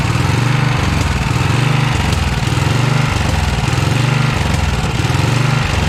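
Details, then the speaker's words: 1982 Snapper Comet riding mower, 8HP Tecumseh single-cylinder: loud high-speed running surging, rising and falling about once a second at full throttle; unsteady fuel delivery, only runs at full throttle, carb needs tuning. "I guess I'm gonna tweak a little more, try to get the tuning better than that, because it seems like it only wants to run at full throttle."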